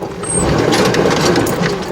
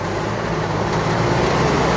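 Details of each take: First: 2005 Chevy Astro Van overheating, heard inside with an exchanged aftermarket fan clutch: a whooshing roar swells and holds over the engine, quieter than before; fan clutch suspected staying locked up; 170 thermostat replaced the 195. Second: 2005 Chevy Astro Van after a new fan clutch and radiator to cure overheating and a roaring fan clutch: steady, even engine hum with no fan roar; now normal, though temperature still reads a little high with a 170 thermostat.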